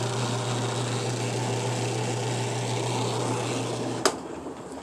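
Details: Frigidaire washing machine drain pump after repair (dirty electrical connections cleaned), tested with a gallon of water: steady low electric hum as it drains, even with no grinding or rattle, then cuts off cleanly; normal drain pump operation.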